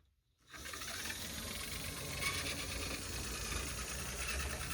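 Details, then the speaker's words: Dual-motor Tyco HO-scale C630 Alco locomotive: faint motor whir under a dry scraping rasp while running; a repair screw in the truck pivot rubs the locomotive frame as the truck moves. "When the truck moves around, the screw is actually able to touch the frame of the locomotive, and it makes that pretty awful noise that I was hearing."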